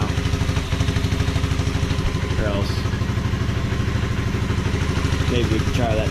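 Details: 1986 Honda Fourtrax 125 single-cylinder ATV, first run after carburetor cleaning, steady thumping idle with a couple of clean throttle blips; pickup crisp and even, running healthy.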